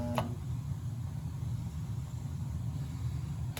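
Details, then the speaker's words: 40+-year-old Peerless gas boiler with B&G 100 circulator: steady low rumbling drone, loud noise heard in basement; circulator failed from decades without oiling, replaced with a modern ECM circulator. "Yeah, that's the noise you're hearing that we're hearing. The circulator. So, we need a new circulator."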